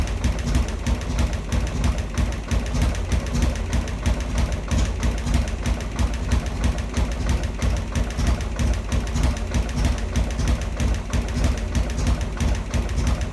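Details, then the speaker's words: Harley Sportster freshly converted to 1275cc with a new Dynatek ignition module, first 30-second break-in run: lumpy, uneven thumping idle that never settles, possible valve ticking noted earlier; cause unknown, idle speed screw later adjusted. "that sounded pretty rough"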